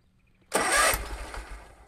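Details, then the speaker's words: Kubota Z122R mower after new carburetor and fuel filter, one short crank and sputter that dies within a second; fuel filter seen dry, fuel pump not pumping; fuel pump failure. "yeah that fuel pump is not pumping at all i can actually see the fuel filter you can see it right there and it is dry as a bone"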